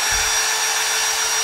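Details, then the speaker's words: Milwaukee M18 tool, nearly new: runs at steady high speed with a harsh gritty whirr over the motor note; worn bearings knocking and grinding in the top, no battery rattle with strap fitted. "that's the bearings knocking in there because this thing's wore out"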